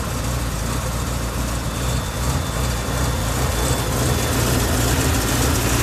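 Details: BMW E38 750i M73TU V12, started from cold at +8°C: deep idle with an irregular stumble and uneven pulses. Random misfire in all cylinders shakes it at idle but not when driving, with no power loss; cause unknown.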